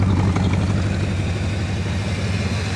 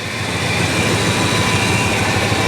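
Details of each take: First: 1966 Ford Country Sedan, first run in about 20 years, oil not rechecked: steady, even low rumble at idle with no knocks or misses. The exhaust sounds pretty good and it idles as if it had been stored running fine. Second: 1966 Ford Country Sedan, just restarted after about 20 years sitting: loud, coarse roar with an uneven, lumpy undertone. The engine runs but is shaking a lot and rough, and the power steering pump doesn't sound good.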